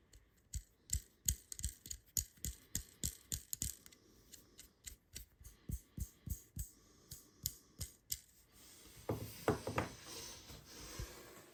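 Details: Happy Japan embroidery machine take-up lever cam roller bearing, removed and cleaned, spun by hand: dry uneven clicking about three times a second then a brief rasp; completely worn, needs replacing.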